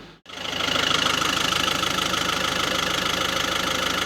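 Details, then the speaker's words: VW Caddy 1.6 TDI, which idled rough after injector replacement, after a deviation minimum quantity reset: even diesel clatter at a steady idle with no stumbles or hunting; idle now normal, road test still planned. "Uh, it all sounds good. Now, like I said, I'm going to take it for a drive."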